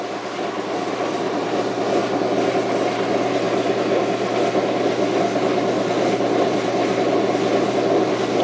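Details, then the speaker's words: Washing machine on spin: low constant motor hum growing louder over a couple of seconds but never reaching spin speed; motor trying to spin, drum not turning, cause unknown. "The motor, like it's trying to spin it. It's trying to spin this."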